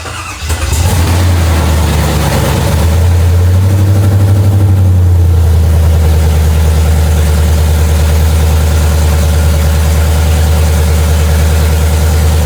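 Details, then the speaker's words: Freshly rebuilt Chevy 5.3 LT truck engine: long crank with no firing for a few seconds while fuel primes and the mechanical fuel pump builds up, then it catches into a steady, even idle with no knocks. "Turn it on, you gotta let it prime back up. This cycle to kill. That and the mechanical fuel pumps gotta build up here too."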